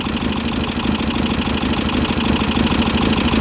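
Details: VW Type-3 Fastback air-cooled flat-four, just reinstalled after tightening loose cylinder heads, idling steadily. A light, quick ticking of about three per second rides over the engine; the valve lash is maladjusted and needs readjusting.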